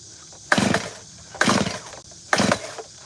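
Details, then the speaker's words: Gas chainsaw: three quick pull-starts about a second apart, each a rattling spin with no firing; the saw is flooded. "Wow, that's tripping me out. It's flooded. That boy flooded."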